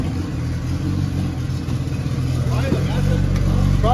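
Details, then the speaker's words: Turbo Honda B20 engine running after reassembly and a timing-gun check; timing was slightly off. Steady low drone with an even firing beat and no knock, normal running. Earlier knock gone, no water in the engine, oil pressure present, check engine light on (possibly map sensor). "the knock went away there's no water in the engine there is a check engine light"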